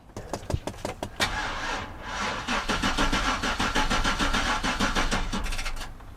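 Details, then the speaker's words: V8 vehicle unstarted for months, battery dead with no crank or click, jump-started with a DeWalt DXAEPS14 power station clamped to chassis ground: several slow uneven cranks, then the engine catches roughly on the second try. "Try to crank this, nothing at all. No click, no anything."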